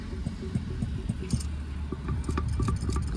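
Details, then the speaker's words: Removed air compressor from a Cummins ISX truck engine turned by hand: loose, uneven clunks with each bit of rotation; rod or wrist-pin bearing suspected badly worn, unlike the tight, quiet new compressor. "You can hear that. I think that bearing in there, either the rod bearing or the wrist pin bearing, is just totally trashed."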